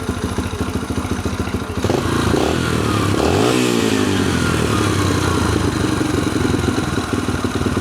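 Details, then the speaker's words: Yamaha TTR 125 single cylinder after carburetor cleaning, choke off, about year-old fuel: putters with a quick, fairly steady beat, blips up once and settles; idles cleanly, far better than before. "But, I mean, this is already this is already a thousand times better than what it was. So, that's that. New carb. Well, I should say new clean carb. Sounds good."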